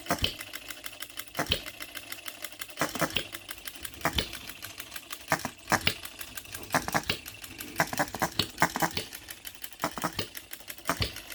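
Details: New OKMO Retrol B02 miniature petrol hit-and-miss engine at first start, on 25:1 shellite with Marvel's Mystery Oil: sharp pops in bunches with coasting clicks between, an uneven fire-and-skip pattern. Normal hit-and-miss running.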